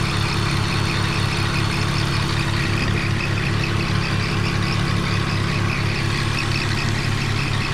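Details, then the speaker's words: 2001 BMW E46 petrol engine idling after a Motor Medic engine flush and oil change for an abnormal ticking: ticking no longer heard, but a faint thin squeak from a pulley chirps over the engine note. "It doesn't sound as bad. Just the pulleys are being noisy now, but I'll take care of that."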